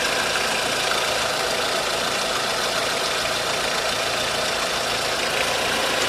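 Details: 1.4 16V engine (Tunisia) knocking at idle: steady idle with light, uneven tapping over a hissy, bright engine note; timing chain and tensioner checked and the belt removed, yet the noise remains, so the source is still unknown.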